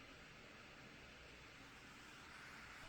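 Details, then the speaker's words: i7 GTX gaming laptop whose CPU and GPU share one cooling heat pipe, running a benchmark. A steady airy fan whoosh swells louder under load, which is normal; the CPU reached 93°C. "Um, so it's not as good as a sort of separate heating system or cooling system rather for each component, but it is a gaming laptop, so that's probably what they have to do. And you can probably hear the fans getting louder."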